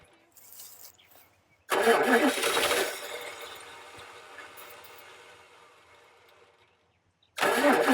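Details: 1989 Dodge D100 truck, unused for years, started with a hose rigged to the fuel pump: loud crank catches and fires, then settles toward a steady run with little smoke; healthy start after long storage.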